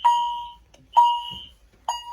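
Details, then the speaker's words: Fire alarm test after pulling a Game Sentry M46-3 pull station in the hallway outside the room: three clean identical high tones about a second apart, chime heard outside; horn sounding normally. "You can kind of hear the chime outside."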